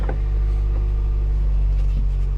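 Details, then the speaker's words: Scion with a recurring misfire, oil consumption and low compression on cylinders 3 and 4, warmed up with oil added after a compression test: low, even, steady idle hum with no missing or stumbling; idling normally for now. "Sounds like the idle's pretty normal right now. It's not missing or anything."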